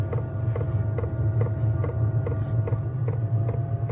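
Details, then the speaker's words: Newly installed diesel heater in a VW T4 van, with the pump pre-primed. Crisp, steady fuel-pump ticks about twice a second over an even blower hum that speeds up as it warms: normal diesel heater start-up. "Sounds like it's warming up at the moment. Yeah, it's getting faster. So you can hear the pump, hear it firing up."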